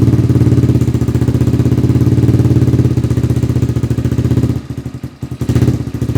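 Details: Rebuilt XR200R-based single fitted with a Chinese motor and CRF/XR150 parts: strong, even single-cylinder beat that holds steady, dips briefly and picks back up cleanly; healthy, freshly rebuilt motor.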